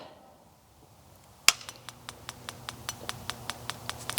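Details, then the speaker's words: Pulse Equine PEMF system with coil loops connected and powered for a test: after a sharp first snap, crisp even clicks about five per second from the coils, showing the unit is pulsing normally. "functioning clicking in the coils okay at this point you would be ready to move on with your session"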